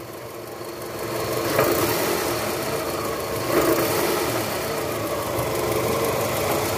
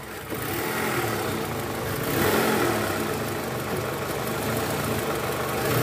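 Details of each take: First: 2004 Toyota Camry with 2AZ-FE 2.4 engine, 98,000 km, cold, in reverse with AC on: a faint loose "krok krok" rattle at the bottom of the engine that fades when warm. The balancer shaft was found worn and loose. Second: 2004 Toyota Camry, 2AZ-FE 2.4 L, 98,000 km, which had a cold-start "krrk" noise: after replacing the loose, worn balancer shaft and refilling coolant, a smooth, even idle with no rattle or knock. Normal idle.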